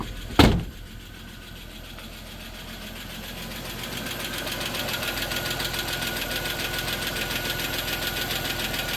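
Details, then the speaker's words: 1993 Plymouth Grand Voyager SE, parked 18 years, first run while warming up: fast, even light ticking over a steady idle, hoped to be valve train noise that goes away. Oil pressure good, charging. "yeah just some valve train noise hopefully that goes away it should it's in the motor"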